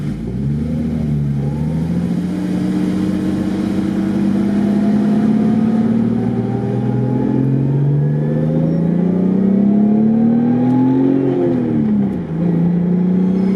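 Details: Built Toyota R154 manual in a daily drift car with a welded diff, while driving: a clear gear whine rising and falling with road speed over the engine. Typical of a built gearbox, harmless.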